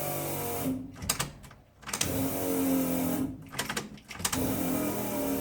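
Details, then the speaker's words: 1993 Ford XG ex-police divisional van, petrol, just refuelled with battery reconnected. Key-on gives a loud, steady electric hum from the fuel pump priming and building pressure normally, broken by handling noise. "Yeah, it's building up pressure, you can hear it."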